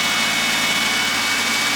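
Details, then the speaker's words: Carbureted car after the intake was removed: a steady, even hiss and hum with no misses. Normal idle, purring, never ran this good. "carburetors are weird do you hear this thing purring right now"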